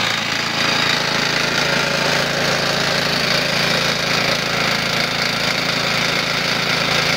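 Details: 1970s-era Briggs & Stratton 3.5 hp petrol engine, hard to start and started with a cordless drill, running fast and steady with a hard, dull rod knock in its rattly clatter.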